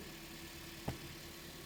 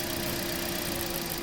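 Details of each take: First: 2016 Toyota Corolla 1.6 that had been misfiring heavily with codes P1603, P1604 and P1605, after repair: one stray knock from handling, then a smooth, steady idle with no stumble or skip and no misfire. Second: 2016 Toyota Corolla 1.6, over 100,000 km, unknown history, codes P1603, P1604, P1605: rough, uneven idle with lumpy, stumbling beat over engine hum; misfire attributed to a failing ignition coil dropping cylinders.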